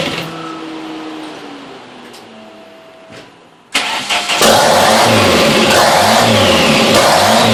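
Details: 1987 Dodge Daytona Shelby Z with a newly built custom engine at first start: catches and runs rough under a loud rushing hiss from a massive vacuum leak through two unplugged intake plenum holes.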